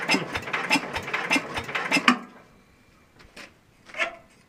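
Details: Super 12 hydro small engine, cold start, possibly never fueled; owner suspects empty tank or needs more throttle. About four sharp even clacks of the starter turning it over, then quiet; never fires: cranks but won't start, cause unconfirmed.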